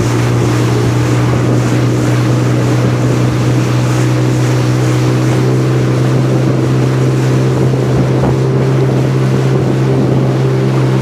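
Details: 2002 Sea-Doo RXDI two-stroke after engine rebuild (new top end, different crank and block), first water test on old gasoline, breaking in: strong steady drone at even speed over wind and water; runs smooth, no maintenance light.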